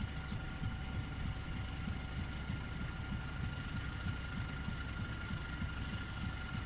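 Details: Fairbanks 208 single-cylinder engine on an oil-well pulling unit, freshly started after a pump change, probably fed gasoline since well gas is weak; soft low even thumping about three a second under faint hum, running smoothly and steadily.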